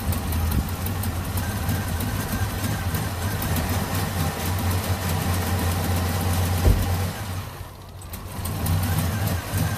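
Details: 2005 Chevy TrailBlazer that sometimes won't start and shakes when running: low steady idle drone, then briefly sags and nearly dies near the end; intermittent stall from a failing ignition switch.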